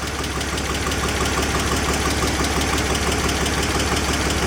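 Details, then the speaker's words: 2004 BMW 325i after oil leak repairs (CCV system, coolant hoses, oil filter housing gasket), MAF sensor unplugged: revs nice and free with a steady, even idle, no misses; ran rough before, smooth with MAF plugged back in too. "Okay, right now I've got the math unplugged. Take a listen. Rev's nice and free like it should."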